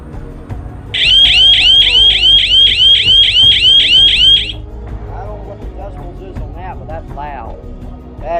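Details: 12 V outdoor alarm siren without a light: a loud, high-pitched siren warbles in rapid, even sweeps for about three and a half seconds, then cuts off; it triggers and sounds properly.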